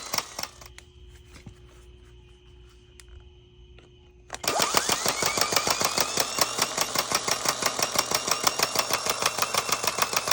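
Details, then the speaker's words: 2020 Ram 3500 6.7L Cummins starter fed constant 12 V by jumper wire, after intermittent single-click no-starts: quiet, then rapid clatter about three clicks a second as the plunger pops in and out; owner suspects a bad starter solenoid. "So it was popping in and out. Why is that? I think it's because the solenoid's bad."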